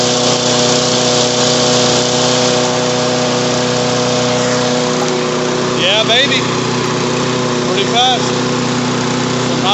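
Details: Toro lawn mower running after a carburetor replacement and a new air filter: the engine holds a steady, fairly high buzz with no surging, misfire or hunting. It runs smooth and healthy.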